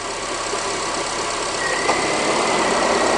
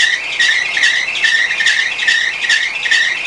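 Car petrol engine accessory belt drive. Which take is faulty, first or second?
second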